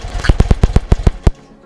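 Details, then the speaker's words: 1975 BMW R75/6 boxer, about 140,000 miles, Bing carbs, one plug cap pulled: single cylinder fires about eight sharp even beats then dies, two to three beats each side; carburettors balanced. "and that was two as well so the two cylinders are fairly well on tuned to each other now"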